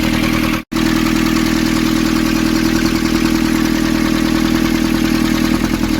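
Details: Nissan Urvan ZD30 diesel, after a no-start repair in which a soot-clogged part was cleaned and refitted: steady, even idle clatter with a constant low beat, no misses or knocks; running smoothly.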